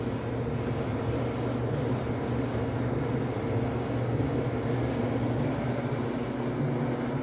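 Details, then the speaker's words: Samsung dryer after replacing the drum support rollers and shafts (part DC97-16782A), which had flat spots that caused thumping: steady even hum with no thumping; a bit louder than usual until the new rollers settle in. "when replacing the support rollers your dryer will sound a little bit louder than what you're used to because of a new component"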